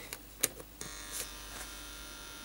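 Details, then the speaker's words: Geiger-Müller tube detector circuit run from a 12 V switching AC adapter instead of the linear bench supply. A few sharp random clicks over a faint 50 Hz hum: false triggering, likely from the adapter's noise. "can probably hear the 50 Hertz hum there so presumably the adapter I'm using is a switchboard adapter so it's maybe introducing a lot more noise than the bench power supply"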